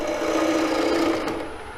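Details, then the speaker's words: Ellsworth gouge cutting straight into end grain toward the centre of a walnut square bowl: continuous rough buzzing rasp, fading as the tool lifts; end grain chatter. "That chattering sound you hear when you get to the very end grain. You're doing end grain only."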